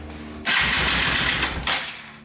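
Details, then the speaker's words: Yamaha TTR230 after reassembly, cranked on a charger before oil and carburetor went in: short burst of quick, even cranking with a light whir and no grinding, sounding much smoother. "it sounds a lot better, nice and smooth."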